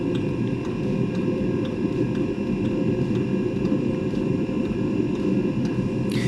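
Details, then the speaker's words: Eberspacher Espar D2 diesel heater, stored fan error 33: even blower roar with soft fuel-pump tick about twice a second, heater starting and running normally. "okay so the heater is starting [Music] the heater is working okay"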